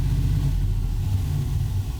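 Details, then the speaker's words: 2020 Ford F-350 Super Duty 7.3L gas V8 after new spark plugs and belt squeal fix, held at various rpm and back to idle: deep, even rumble with no stumble, skipped beats or squeaks; normal idle, hesitation and miss fixed. "But yeah, I don't hear any squeaks, so looks like we're good. Any misses either."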